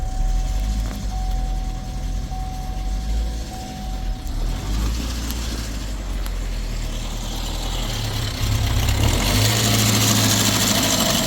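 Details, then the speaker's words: 2015 Chevrolet Equinox Ecotec, towed in, run very low on oil: cranks and catches into rough, clattery run with harsh rattle over idle; charging fine, but oil starvation with stretched timing chain, engine needs replacing. "okay well it's charging but it needs a motor"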